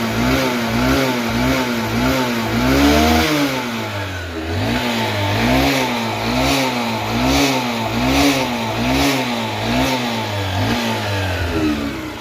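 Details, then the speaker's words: Bike engine after a bore-failure rebuild at 16,000 km, revved with no smoke: crisp, even throttle blips that rise and fall cleanly with no misses or knocks; normal revving, the bike is running perfectly. "Smoke ఏం రావట్లేదు engine sound అయితే ఒకసారి వినండి clear [ప్రశంస] గా బండి perfect అయిపోయింది అన్నమాట"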